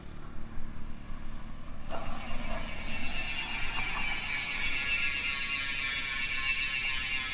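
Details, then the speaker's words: Sagmit B36 fully ratchet, spring-type freehub with sealed bearings (spring replaced by owner to make it quieter) on a Maxzone 790 XC MTB, Maxzone 36-hole aluminum rims, wheel spun freely: soft, fast, even ticking easing off as it coasts; quiet, normal freehub. "So, i-check natin yung tunog nito, idol, kapag naka-free wheel. Paikutin natin. Tahimik po"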